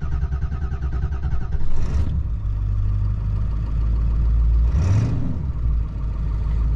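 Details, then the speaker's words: 2002 Ford F-250 7.3 Powerstroke diesel, previously running rough, missing, shaking, no power, after owner's repair: short crank with glow plugs, catches and settles into steady even low diesel idle, no stumble or miss; smoother than before, normal start and idle. "it's even smoother now than it was when it was running okay it still seemed like it was bumping around a little bit and now she's pretty smooth"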